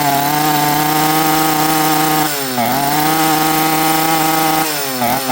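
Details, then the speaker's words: Chainsaw after a carburetor rebuild with an aftermarket kit, metering lever set too high: a smoky, boggy buzz that sags and stumbles at full throttle, never throttles cleanly and won't idle, running rich. "This thing will not throttle cleanly and it will not idle. And that is a 100% metering lever."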